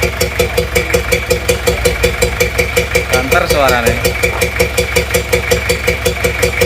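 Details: Toyota Kijang LGX diesel at idle with the air filter removed: rhythmic bok-bok chuff at the intake, louder with the filter off, like compression blowing back into the intake manifold; later fixed by valve clearance adjustment. Intake valve compression leak.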